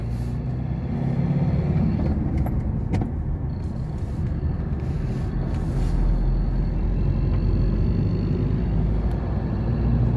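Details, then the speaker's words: Ford 2.2 diesel on a road test after injector repair: smooth, steady drone under light throttle with road rumble behind, accelerating smoothly, no flutter, rattle or knocking. Normal acceleration. "อัตากันเร่งเบานะครับอัตากันเร่งเบาเร่งลื่นดีนะครับ"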